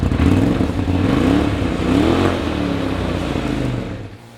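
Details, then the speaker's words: Polaris RZR with new S&S PowerTune XTO muffler fitted with 1.5 dB reducers, after installation: fires, revs twice, pitch climbs then settles to smooth idle; deep even exhaust, no popping or rattle. Normal exhaust note. "So we reconnected the negative battery cable, and now we're going to fire it up so you can hear what the PowerTune XTO sounds like with the 1.5 dB reducers in it."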